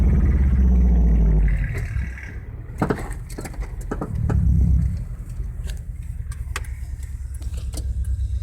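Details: Honda Civic driving: a few dull clunks stand out over road rumble when braking and accelerating, a suspension knock.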